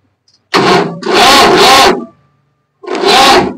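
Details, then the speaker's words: Swaraj 735 tractor that shut off by itself while driving on the road: repeated starter cranking bursts that never catch; diesel turns over without firing because the fuel injection pump timing has slipped, also giving heavy smoke. "यानी फ timing का setting पूरी तरह से बिगड़ गया है जिसके कारण से यह स्टार्ट भी नहीं हो रहा है और ज्यादा मात्रा में ु भी दे रहा है"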